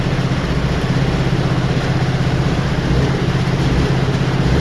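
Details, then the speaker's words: Yamaha FZ V3 fuel-injected motorcycle, after an accident, not starting with the fuel pump not working; after repair including bank angle sensor bypass: steady, even low thumping idle with no other noises, running perfectly. "ഇനി friends വണ്ടി start ആയി perfect ആണ് വേറെ ശബ്ദം ഒന്നുമില്ല എല്ലാം clear ആണ് ഓക്കെയാണ്"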